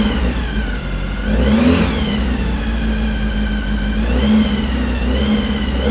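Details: Brand-new 2332cc air-cooled VW Manx buggy engine, dual Weber carbs, on startup stand during first break-in held near 2,000 rpm: smooth, swelling and easing evenly, no knock or miss; healthy fresh engine.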